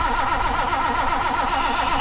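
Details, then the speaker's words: Datsun 260Z that wouldn't start, on its first real start attempt with plugs in after spark was confirmed via a remote starter switch, throttle worked by hand. The starter churns in a fast even rhythm with a few uneven puffs, but it never runs. Cranks, no start. "Come on, Daisy. Oh, wait a second. Oh, we're almost. Disappointing, but not unpredicted."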